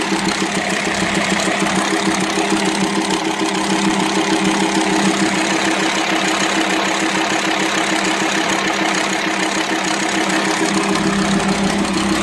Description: Broken and worn camshaft in my friend's Volkswagen Transporter T5 2.5 AXD AXE, causes bad work on idle, not enough horse power, noisy work from head and intake manifold, and much metal dust in oil :(